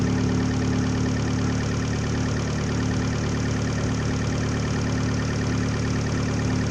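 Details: 2013 Fiat 500 Abarth engine on its first start after a DIY Eurocompulsion front-mount intercooler install. It settles into a steady, even idle with a smooth low hum and no misses or knocks and runs healthy.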